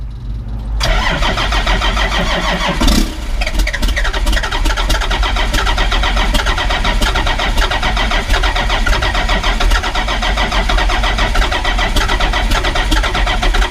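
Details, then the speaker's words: 1991 Ford F350 with swapped CAT 3126 diesel, cranking with oil pressure gauge fitted: starter grinds several seconds without firing; hard start because oil pressure takes too long to build, new oil pump likely needed. "for whatever reason it's taking forever to build oil pressure at least enough oil pressure to fire this"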